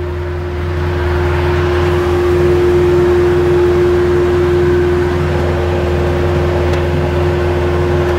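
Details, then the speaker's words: 2011 Polaris Ranger HD 4x4 with an all-original engine, idling while the radiator fan kicks on at about 204, giving a steady even fan hum; bungee cords in the back also rattle. Normal cooling fan at idle. "there it just kicked on it's not the fan that you're hearing [Music] rattling these bungee cords back here banging on this but you can hear it R uh the fan"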